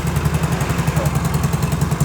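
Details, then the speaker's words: Yamaha Mio J fuel-injected scooter, after a new intake sensor cleared the MIL code, starts immediately and settles into an even, steady idle with no misses. The remaining sensor light comes from a broken speedometer cable. "Nah, teman-teman. Besar. Langsung menyala, Guys."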